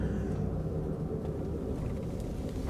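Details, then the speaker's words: Ford truck with 5.4 V8, driving in two-wheel drive: deep, steady droning roar from the rear axle differential, likened to a dinosaur or supercharger, progressively worsening; worn pinion bearing roar. "If you can hear that, kind of sounds like a dinosaur back there or a missile taking off or maybe a supercharger in the rear."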